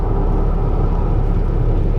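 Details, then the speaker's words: 2012 Ford F-150 EcoBoost 3.5L twin-turbo FX4, about 160,000 miles, driving in four-high with turbos boosting. Heavy, constant low rumble and throb droning over the engine. Owner first wondered about the tires; the vibration is from a bent driveshaft. "and when those turbos kick in man this thing hauls but boy there's a nasty uh just a nasty vibration I'm not sure if that's the tires"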